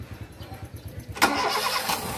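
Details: Honda Fit automatic with hard starting, low charging and difficult idle: about a second of steady cranking pulses, roughly ten a second, then the engine catches and runs; the start sounds sluggish.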